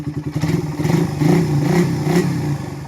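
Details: Single-cylinder motorcycle still noisy after several prior repairs: revving with a light, uneven clatter over the exhaust note from the top end; sounds like a valve-area tick.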